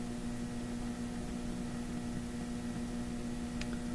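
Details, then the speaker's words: Philips Sonate BA581A tube radio on a better antenna: steady low hum under hiss with a brief sharp crackle; static crashes, owner suspects mica caps inside the IF transformers, unconfirmed. "it's still doing lots of funny things isn't it static crashes uh it almost sounds like those uh mic caps you find in ifs uh that tend to uh give trouble on some radios"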